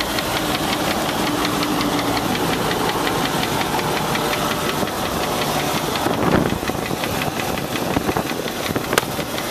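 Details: Land Rover 4.6 V8 at idle: steady, rapid deep knock stays even throughout; could be a bad rod bearing, collapsed piston skirt or bad lifter, not confirmed.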